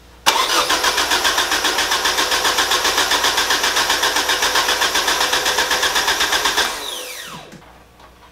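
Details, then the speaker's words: Rebuilt Mazda BP 2.0 after re-rebuild, cranked with ECU unplugged to build oil pressure before first start: even starter cranking about four beats a second for six seconds, no firing, then spins down; healthy crank, oil pressure confirmed. "So water, and then gonna crank it over to try and build some oil pressure."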